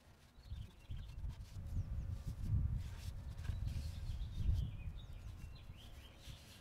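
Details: MTD riding mower with a Briggs IC engine (model 28D707), about 27–30 years old, first start after nearly 20 years stored in a garage, carburetor not yet cleaned. It catches and settles into an uneven but healthy low single-cylinder rumble, with birds outside.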